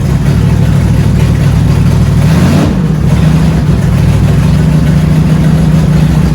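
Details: 1971 Dodge Charger Super Bee 383 Magnum V8 after valley pan change for a suspected intake leak: deep, loud idle with an uneven, lumpy beat; owner suspects ignition timing is off again.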